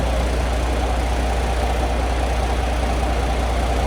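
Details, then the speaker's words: 2023 Kenworth W900L diesel idling after a failed fuse and relay were replaced: a light, fairly even rattle at about 2.5 per second from the loose back panel on the light bar, not the engine. "okay it's just the back panel on the uh light bar back here"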